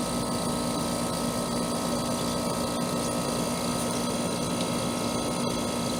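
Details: Trane AC condenser installed the previous June, warranty call for fan-only running; after fitting a hard-start capacitor/start relay the compressor starts, giving a smooth steady hum with constant mid tone and even fan rush, no knocks or rattles; running normally.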